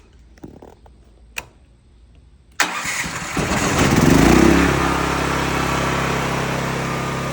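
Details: CAT RP8000E 8000-watt generator, about 5 years old, that started then shut down immediately, after the fix: quiet clicks, then the engine catches, flares briefly and settles into a steady, even run that holds without dying.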